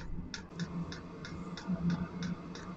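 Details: Chinese AliExpress Webasto-style diesel parking heater, just after a disconnected fuel hose was reconnected: light, steady ticks a few times a second over a quiet burner hum; dosing pump feeding fuel normally.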